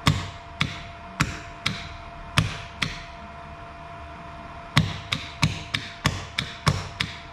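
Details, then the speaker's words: Contactor on power supply: coil energised and de-energised repeatedly, normally-open contacts closing and normally-closed opening, giving sharp clean mechanical clacks over a quiet background; normal contactor switching. "Ok, jangan terkejut lah bunyi dia. Kita energize coil, dia akan tukar. Ini normally open, dia akan close."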